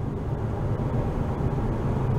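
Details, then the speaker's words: Dodge Avenger driving with window partly up after hub assembly replacement: steady low road rumble, no grinding or rhythmic growl; normal wheel hub. "I'm going to roll the window up a little bit. See? No wheel hub grinding noise"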